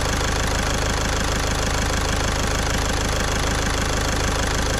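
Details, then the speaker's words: Caddy diesel after a week-long repair in which a stuck injector was removed with a slide-hammer puller kit: steady, even idle clatter at about three to four beats a second, no misses or knocks, nice and quiet. Normal idle. "So I am well happy with that. Well happy. And it sounds so nice and quiet as well."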